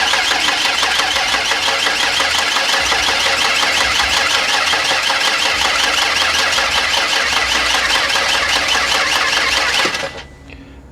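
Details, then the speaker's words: 1992 Ford Explorer, first cranking after sitting about 16 years, battery charged: steady, even cranking near three beats a second with no skips or hangs; hitting on all cylinders about evenly, normal compression. "really good to me it's hitting on all cylinders about even"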